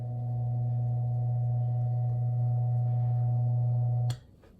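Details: 1938 GE 12-inch oscillating fan, catalog 49X929, after base rewiring, bare motor without blades oscillating: steady clean low hum, no gearbox rattle, then switched off; oscillation works; normal running.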